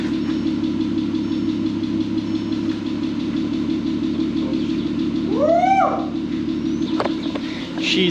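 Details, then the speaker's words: VW R32 after 10 years sitting and 9 months of work, timing chain redone correctly: even steady idle, smooth low hum, only a slight ticking noted; engine running cleanly. "a purring like a kitten. Oh my goodness. You know, all it needed was just a timing chain done correctly."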